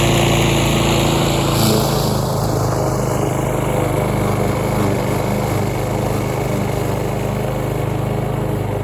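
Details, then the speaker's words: Roadside-found Troy-Bilt TB230 self-propelled lawn mower (Briggs & Stratton) after tune-up and cleaning years of dirt and rusted metal from under the deck, cutting grass: steady, even drone, no surging or misses; normal running under load. "so by anyways got the deck all cleaned out I'll flip the mower back over and go ahead and cut some grass with it"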